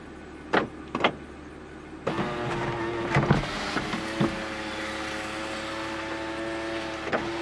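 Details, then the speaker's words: 2007 Toyota Camry sunroof during the recalibration hold procedure: a couple of clicks, then a steady electric motor drone. The motor sounds healthy, but it sounds worse than five years ago and is hitting something, though it still closes and seals. "Did you happen to notice that 5 years ago, the sunroof sounded a lot better than it does now?"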